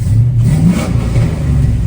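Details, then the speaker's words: Warmed-up truck engine revving with a smooth, even roar and steady low-end pull after a repair; it revs better, with no black smoke and no knocks, misses or rattles. Normal revving. "And uh I'd say it feels like it revs better and we're not [ __ ] out black smoke."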